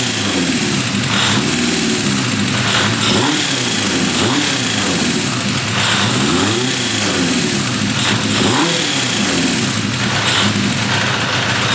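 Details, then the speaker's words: 1978 Honda CB550K after restoration, timing set, before carb sync: repeated throttle blips, revs hang high a second or two before sagging to idle; carburetors out of sync. "you can hear how you rev it up and it will stay the idle will stay high for a while and then it drops down that that generally is the sign of carbs are out of sink"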